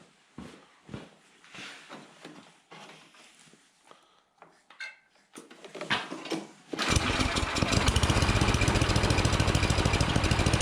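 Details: Troy-Bilt snowblower, never maintained, after quick tune-up with cleaned plug and used replacement electric starter: after clattering handling, small engine catches and settles into a steady, even run with no misses or knocks; normal running.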